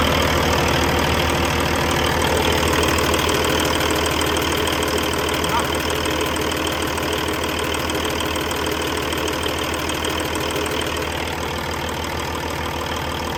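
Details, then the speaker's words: 2012 Peterbilt 386, Paccar MX13 diesel, 1.2 million miles, idling with the oil filler cap off to check blow-by: steady, even clatter with a smooth low drone, no knocks or misses; healthy high-mileage engine. "Unbelievable. These Paccar engines, as far as longevity, are incredible."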